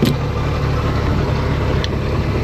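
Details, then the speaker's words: 1999 Bayliner Capri, MerCruiser 4.3 L, after replacing the bad starter relay solenoid that caused a no-crank, running on a flushing hose: low, steady rumble at an even idle with no knocks, misses or surging; running smoothly. "Alright, she fired right up, so it's definitely what it was."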